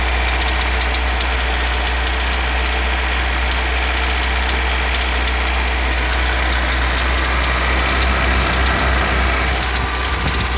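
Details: VW Jetta Mk2: sharp, steady ticking knock about four times a second over an even idle, coming from inside the engine. Engine knock, cause not yet identified.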